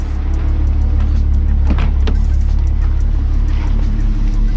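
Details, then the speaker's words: MK3 VW VR6 turbo wagon after cold start at about 49°F, engine idling nice with air-fuel ratio around 14.9–15.1, which is perfect; even steady low rumble, no knocks, misses or hunting, healthy idle. "idling right at the 14 9 15 1 ring which is perfect"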